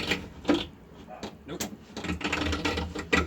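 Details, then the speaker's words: VW Squareback door after an ISPWest door kit install: irregular ratchety clicks and creaks as the window is wound. The owner first suspected the gear, then the regulator arm; the cause is unconfirmed. "That weird noise, I think it's just this gear being... I think it's just the gear, but... I'm not sure."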